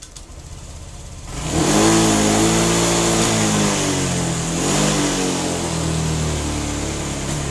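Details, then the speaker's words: Honda Vario 125/150/160 injection scooter, started up: revs climb then sag and wobble instead of picking up cleanly, sluggish delayed throttle response. "Well , this is the position on the throttle in this kilometer section, it actually goes down, yes, this is very,"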